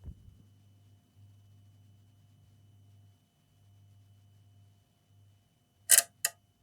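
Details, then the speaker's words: Linear bench power supply feeding an HP 15-eu0501sa laptop with a not-charging fault: over a faint hum, two sharp loud clicks a third of a second apart, the relay tripping at the current limit. "I mean it's taking like a normal current like as a working laptop that's no way charging about now charging the battery is clicking"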